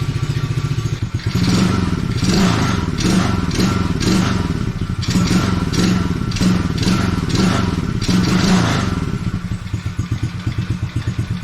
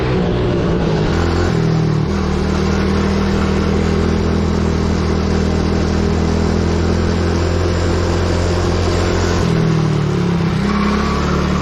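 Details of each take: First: Coolster 110cc quad after sitting two years, first start after fuel and air filter reconnected, without choke, still warming up: single-cylinder putters evenly, revs up and down cleanly, no stumble or misfire; normal running. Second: Coolster 110cc quad that sat two years, warmed up, on test ride: engine races and holds high revs, dips briefly, climbs again; throttle stuck open because the carburettor cap was not screwed on properly; owner hopes nothing got sucked into the engine.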